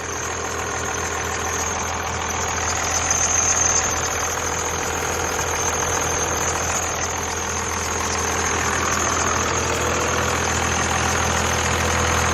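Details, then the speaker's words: Diesel truck with turbo exhaust, just started; loud, regular clatter at about 220 beats a minute with a faint turbo whistle, smoky but sounds pretty good; normal diesel idle. "these drugs are pretty loud but i like how it sounds it sounds pretty good"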